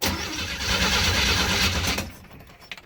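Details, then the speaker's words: Classic Chevrolet parked for years, carbureted with mechanical fuel pump, cranking at decent RPM hoping the possibly petrified pump diaphragm draws fuel from the rear tank. Uneven cranking for two seconds, dies away without firing; crank no start, fuel delivery suspected. "And now we finally just got the engine cranking up to some decent RPM."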